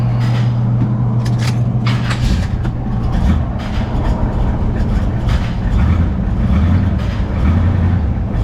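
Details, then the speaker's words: Engine idling in the shop: steady low idle with sharp, uneven knocks cutting through now and then; disconcerting engine knock at idle, source not yet identified. "that knock is certainly disconcerting"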